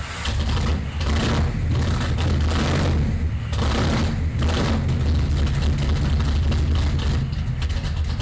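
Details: Datsun Magnum V8 with new supercharger, started using the workaround of powering the ECU after cranking begins to prevent flooding: deep V8 rumble catches cleanly, settles into lumpy pulsing idle with a few blips; normal start.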